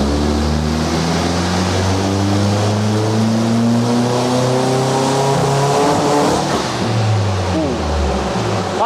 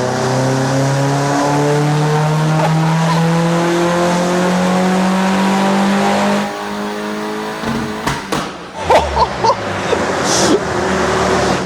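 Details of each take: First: VW Fox with 1.8T GTI engine and new turbo on dyno rollers, after a 212 hp first run: pulls hard with pitch climbing, then stumbles and breaks up near the top; misfire under load, N75 boost solenoid suspected. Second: VW Fox with modified 1.8T GTI engine, new turbo and remap, dyno power run three at full load: loud engine tone climbing steadily through the revs, then lifting off with crackles; clean strong pull, 275 horsepower measured; normal.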